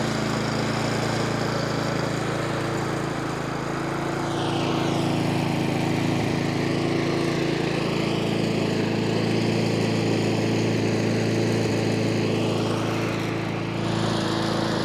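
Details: Nearly new Honda Izy lawnmower with GCV145X engine, brought in for hunting, after carb service and fresh fuel: steady even drone without hunting or surging, then shuts off cleanly; running normally.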